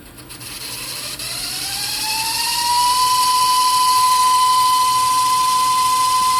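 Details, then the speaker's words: Emerson-branded Funai VCR from 2003 in rewind: a loud, shrill whine climbs in pitch over about three seconds, then holds a steady high note. Owner calls the noisy rewind the unit's problem; cause not stated. "okay so stop it right now but we put it in rewind and here's the problem"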